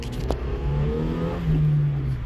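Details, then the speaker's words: Car on a road test up to about 40 mph after front-end parts and a noisy wheel bearing were replaced: the engine pulls smoothly with an even rising note and strong power, with no front clunks or bearing hum. "he said there was a bunch of clunks in the front and the wheel bearing was making noise I don't hear that anymore replaced all those parts"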